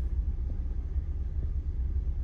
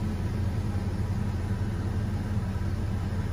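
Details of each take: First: 2003 Chevy Trailblazer, cold engine at idle: low uneven idle with occasional stumble, scanner shows cylinder 3 misfire, worse when cold; caused by a broken coolant temperature sensor that also upset the oxygen sensor readings. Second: 2003 Chevy Trailblazer at idle after replacing the broken coolant temperature sensor that caused cold cylinder misfires: smooth, even low rumble, no misses, knocks or surges; healthy settled idle.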